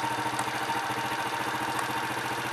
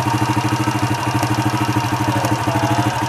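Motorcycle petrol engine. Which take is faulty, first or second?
second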